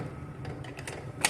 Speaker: and then just plumb this in the window or wherever if that little ticking noise is absolutely too loud that you just can't handle it.